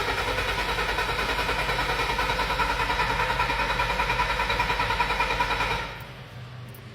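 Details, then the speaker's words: Bobcat T590 diesel at full throttle with auxiliary hydraulics loaded: a slightly lumpy beat about three per second, then it shuts off, unable to hold rail pressure and throwing an injector code; injectors 1 and 2 bad, later blamed on biodiesel. "all right there it goes Full Throttle auxiliary on turned right off so can't even maintain rail pressure so it's looking like one and two aren't looking too good"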